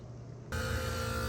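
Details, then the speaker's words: AC outdoor unit not running, with the blower on indoors: a steady electrical hum with a high buzz and no fan whoosh as it tries to start, caused by a physically exploded run capacitor. "Okay, it's trying to run and the fan isn't running."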